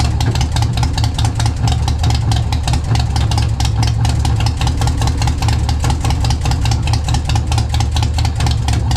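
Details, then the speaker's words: Single-cylinder motorbike started cold, with brand-new spark plugs: loud, lumpy idle with irregular firing and missing beats. Owner suspects a failing spark plug cable rather than the compression release. Rough idle. "I think it's a spark plug cable going bad. It's not sending the full charge to the spark, because those are brand new spark plugs I got in there right now."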